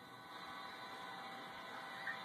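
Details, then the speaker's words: Modified 1960s Gibson GA-15RVT Explorer tube amp with spring reverb, Dynacomp in front with output at max: steady electrical buzz with constant hiss, no playing, coming from the amp not the guitar, louder as the compressor boosts the front end. "Notice that buzzing still going. It's not the guitar, it's the amp. So here's the Dynacomp in front. You can hear the hiss because it's boosting me."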